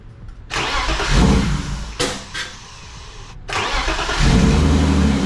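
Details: BMW E36 that keeps dying at idle, after PCV replacement and battery disconnect: cranks, catches, falters and cuts out, then lumpy uneven idle; owner suspects the MAF sensor, to clean or replace.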